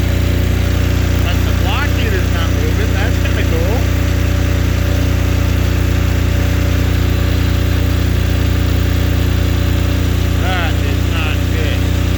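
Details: Apache diesel generator with no glow plugs, in freezing weather, after being reassembled and heat put on the needle that was likely stuck or iced up: steady, even thrum with a deep low hum, no misses or knocks; normal idle.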